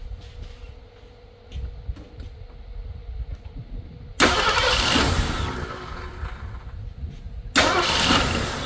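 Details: Ford Thunderbird Town Landau, first start after carburetor rebuild, new fuel pump and brake work: quiet cranking, then it catches with a loud burst, settles, and catches strongly again; fires and runs cleanly.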